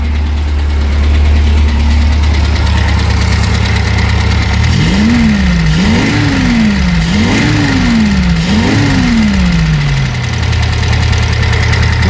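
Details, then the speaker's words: Eddie Stobart Reliant Supervan after carburettor clean, tickover a little high: idles then blips several times, with a light tick just audible under the run; owner suggests valve clearances may need doing, nothing major. "Not too bad, it's got a little bit of a tick to it. Might have to do the valve clearances on it, that's nothing major."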